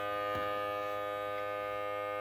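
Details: FXTUL F703 smoke leak detector clipped to a Pontiac's trunk-mounted battery, after a finicky connection finally holds: steady even buzz at one pitch without dropouts, normal steady running.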